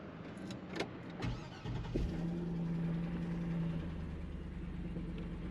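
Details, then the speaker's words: 2006 Chevy Silverado truck that stays running with the key off and runs poorly. A few clunks, then a steady low idle that carries on rather than dying, only finally shutting off. Run-on. "so the customer complaint is to shut the key off and it stays running sounds like it does finally shut off"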